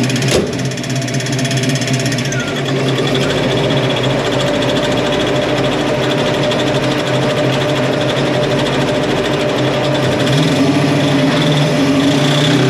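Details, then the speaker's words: 1966 Ford Mustang Fastback, 347 stroker, T5 transmission, driving: uneven clattering about three to four knocks a second over engine and road drone. Water pump pulley had broken loose and the belt came off; owner first feared a bent pump shaft. "I reached down to grab that water pump pulley and I immediately could tell that that thing had had broken loose"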